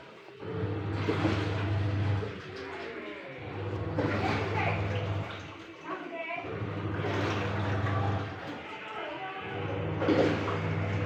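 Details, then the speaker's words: Aqua single-tub washing machine tested after replacing the faulty original control module with a universal (multi) module; low motor hum in roughly two-second bursts with short pauses, no grinding. Normal wash cycle. "tes mesin cuci aqua ganti modul multi."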